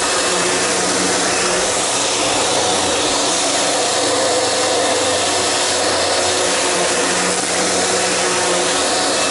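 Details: Sharp Twin Energy upright vacuum after a tune-up, with the brush roller run in and lubricated and the old filthy filters still fitted. A steady, even airy roar with no rattles, scraping or pitch dips: running smoothly.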